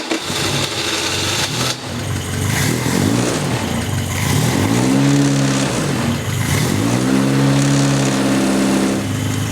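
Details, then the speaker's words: 1981 Royale RP30 Formula Ford, no choke, carb blipped: catches after a few cranks, revs rise and fall, then settles into steady smooth idle around 800 rpm with about 40 psi oil pressure; normal start and idle. "that starts quite nice, and it runs quite smooth. So as you can see, the engine is revving at around 800 RPMs on idle, which is fairly low for a race car, to be honest."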